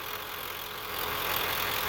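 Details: 1995 Ford F Super Duty Powerstroke diesel idling after water pump and thermostat replacement, warming up with gauge at halfway and heat from vents; coolant previously wasn't flowing through upper radiator hose; steady, even idle, no knocks or misses.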